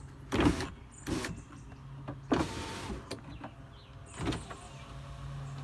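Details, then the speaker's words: Weak, sluggish power window motor giving short strained whirring bursts but still moving, on a King Ranch truck converted to 7.3L diesel, tested on loose wires with no dashboard during gasoline-to-diesel harness conversion. "guy's a little bit weak very weak nonetheless it works"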